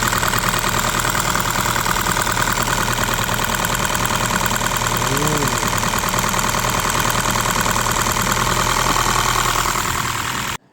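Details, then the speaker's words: Honda Fit petrol engine idling with an uneven, stumbling beat: cylinder misfire caused by a shorting ignition coil. "एक तो आपने देख लिया कि इसकी एशियन कॉइल शॉर्ट हो रही है।"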